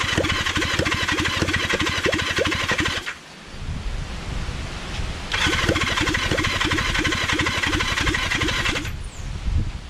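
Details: Kawasaki Zephyr 750 during restoration, carbs just refitted after an ignition fix, on choke: two long bursts of rapid starter cranking with a pause between, never catching. Cranks but won't start because the tank has run out of fuel.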